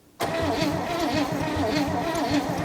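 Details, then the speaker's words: 1957 Chevy V8 off the road since 1979: starter cranks steadily at about three pulses a second but it never catches; no spark after replacing the coil and opening the points; another coil is next, then points. "you know what's not interesting not having spark not having spark well we're going to try this other coil"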